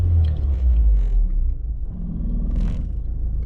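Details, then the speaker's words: BMW E36 Compact M43 after a drive, with the AliExpress idle control valve fitted alongside the OEM BMW sensor. It idles lower than normal, about 600 rpm, with revs rising and sagging and not stabilizing. This is a hunting idle; the owner hopes further driving lets it learn. "and you can see it's not stabilizing the RPMs where been good. Let's take it for another 1 2 km drive. So, let's see if it learns how to stabilize the RPMs."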